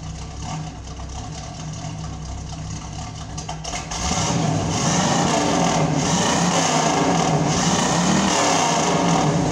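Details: 1972 Pontiac Firebird Trans Am, first start with a new muffler after the old one was blown apart by the engine loading up with fuel: a deep, steady V8 idle burble with no rasps or leaks. Normal idle; the exhaust sounds sealed.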